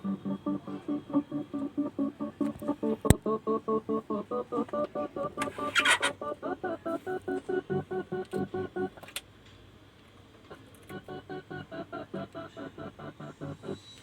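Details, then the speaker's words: Pioneer VSX-321 AV receiver after IC replacement for no-sound fault: music cuts in and out about twice a second with a longer gap midway; choppy intermittent audio, cause still being traced. "अभी उस पे हम काम करेंगे कि ऐसी आवाज़ अटक अटक के क्यों आ रही है, रुक रुक कर क्यों आ रही है।"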